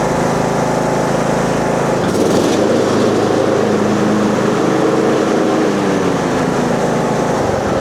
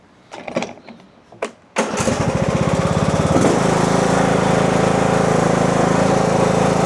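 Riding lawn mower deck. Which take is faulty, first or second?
second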